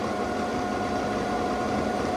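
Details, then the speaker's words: New 220 V variable-speed pool pump after installation, running at speed setting 4 while rpm climbs: even motor hum over rushing water, no knocks or grinding, rated at 6 full-load amps; normal healthy operation. "Let's look at the RPMs come up. You hear it coming up? 36."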